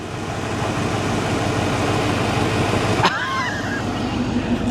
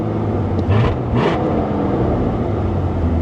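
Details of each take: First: Keyless fuel-injected 1983 Mercury Cougar V8, started with a screwdriver after the ignition was drilled out: a steady, even low idle rumble with no knocks or misses, though an exhaust leak is noted. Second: 1983 Mercury Cougar 5-litre fuel-injected V8, warm at about 195°F, oil pressure about 45; steady even hum held well above normal idle: high idle, owner suspects throttle adjustment screw needs setting.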